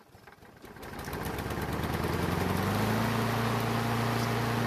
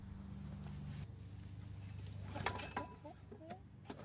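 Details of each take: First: Craftsman self-propelled mower that sat for years and wouldn't start and leaked gas from the air filter, after carburetor seat repair: catches after a few cranking pulls, then settles into a steady, even idle; normal running. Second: Craftsman mower that sat for years, on fresh gas: catches on the pull, runs rough about a second, then stumbles and dies; starts then dies, owner suspects it ran on choke-circuit gas and the carburetor is leaking.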